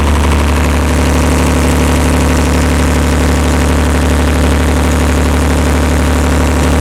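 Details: Perkins 354-series diesel on a 45 kW Empire generator, just started cold after injection pump reinstall: steady even clatter and deep drone at about 50 Hz, no misses or knocks; making voltage, oil pressure fine, normal idle.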